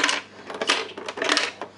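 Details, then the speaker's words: Mega CD 2 / Sega CD 2 that won't power on, shaken before opening: bursts of sharp clattering from a loose piece inside the case, later found to be a broken-off corner of the CD drive circuit board. "something uh definitely fallen off inside in there but uh let's get the screws out and see what we got"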